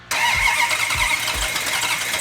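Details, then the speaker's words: Rebuilt original 426 Hemi in a 1971 Hemi Cuda with carburetors, first fire-up: it settles into a lumpy, lazy idle with a dull, soft exhaust note. Ignition timing sounds retarded and likely needs advancing. "hang on. I think it's retarded. Hang on. You know, it's very rare that when you fire one of these engines up, that right off the bat you have the timing set perfectly."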